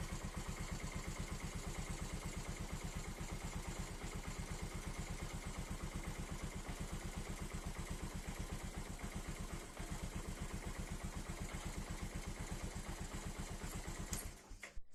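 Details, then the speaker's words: Bajaj Pulsar 135 LS motorcycle after starter motor repair: steady, even thumping idle holding rhythm over ten seconds with no misses or rattles; engine runs clean, repair successful. "හොඳයි යාළුවනේ ඔන්න එහෙනම් bicycle එකත් එකපාරින්ම start වුණා. ඒ කියන්නේ මෝටරේ හදපු එක සාර්ථකයි."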